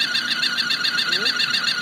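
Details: Chevrolet Aveo T250 engine at idle: high-pitched warbling whistle pulsing steadily over a quiet idle.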